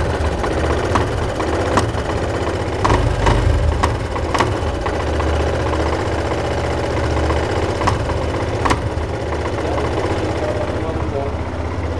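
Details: Yamaha Fazer motorcycle at idle: sharp knocks break through a low, throbbing idle at irregular moments; engine knock, and each mechanic blames something different, source unknown.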